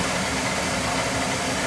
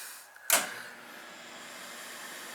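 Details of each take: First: Oil boiler about three years old that ran out of oil, after bleeding the airlocked oil line and cleaning the burner head, with good draft over fire: steady, even roar with soft low rumble, no surging or puffing. Normal burner operation. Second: Oil boiler that ran out of oil, being bled: short electronic tone while control button is held, burner fan roaring, as it enters purge cycle to clear air from oil line.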